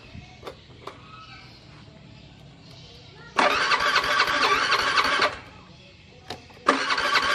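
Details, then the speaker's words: Honda Beat FI scooter that won't start, fuel pressure reaching about 40 but dropping slowly: two bursts of whirring starter cranking, about two seconds each, engine never fires; cranks but won't start, injector check next. "Oke, masih gak mau ya, Kang Bro. Masih belum mau hidup."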